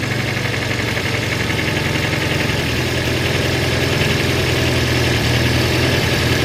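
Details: Volvo 144S after HS6 SU carb rebuild, valve lash and rough timing set: loud fast idle with rough rapid metallic clatter over deep drone, metal-on-metal knock believed from the bottom end; exhaust leak also suspected, cause unconfirmed.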